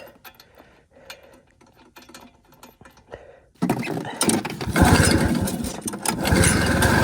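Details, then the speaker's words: 1973 Yamaha two-stroke snowmobile, locked up 8 years, engine full of transmission oil: catches and runs ragged, surging and stumbling; spark plug clogs with oil every few seconds, cleaned repeatedly, now running somewhat better; oil-fouled plug. "Every 5 seconds, I have to take the plug out. I'm getting so much oil out of this thing. It's nuts. It does sound like it's running better."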